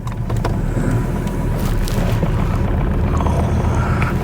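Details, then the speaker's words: Ford Ranger diesel at cold idle: heavy, uneven low rumble with a shaky beat, one cylinder missing and vibrating far more than before; tester showed a heater (glow) plug not working, runs rough until warmed, diesel misfire from failed glow plug. "> Hear that? It's missing in one cylinder. >> I was going to say >> it's a heater plug."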